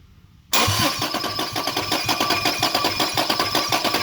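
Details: Toyota Cressida with 2JZ engine swap, LQ9 coils being wired (spark confirmed on test coils): starter turns the engine over in steady quick compression beats for several seconds without firing; crank-no-start, later found to be missing power to injectors and coils.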